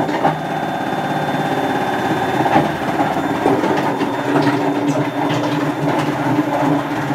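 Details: Hotpoint First Edition FEW12 washing machine, left outdoors for months: a loud rough roaring rumble with rattly knocks during the spin. The drum bearings are badly worn.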